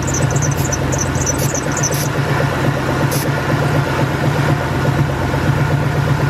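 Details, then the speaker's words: Warm Ford 4.6 modular V8 idles unevenly with a misfire while a high, chirping serpentine belt squeal repeats about twice a second, then fades after greasy lubricant is sprayed on the belt; belt needs replacing. "now if your belt was making that squeaking noise I don't recommend just keep doing that it's your belt so just go ahead and replace it"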